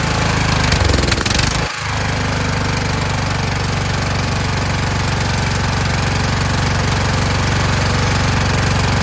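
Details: Kohler Courage engine mounted on a tractor, started on choke: catches and settles into a loud, slightly uneven chug of about four beats a second. The owner suspects the throttle bracket. Rough running from a faulty carburetor choke.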